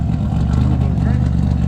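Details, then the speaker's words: Car idling after RJC V-band exhaust gasket install: low, even rumble at steady idle, no ticking or puffing; runs healthy, only minor non-major issues remain per owner. "but we fixed it y'all can hear it she's roaring right you know she's okay you know she's all right"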